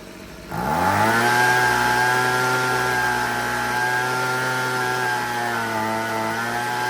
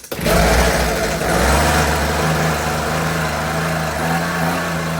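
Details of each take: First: Husqvarna 125B two-stroke leaf blower after repair, just after adjusting the carburettor high-speed screw, still no air filter (final tune pending). Revs up sharply and holds a clean, steady high-pitched tone without hunting, then drops off; running right. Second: Husqvarna 125B leaf blower, sat years with old fuel, new fuel lines, choke on, no air filter: sharp start then buzzy two-stroke drone wandering in pitch; needs carburetor adjustment.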